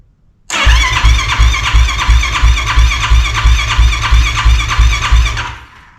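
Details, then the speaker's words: Yamaha YFZ450R race quad, freshly transplanted engine, first crank with fuel pump unplugged to prime oil: steady rhythmic cranking about three turns a second without firing; normal cranking. "I'm going to unplug the fuel pump real quick and crank it over a couple times just so we can get some oil flowing make sure everything's good"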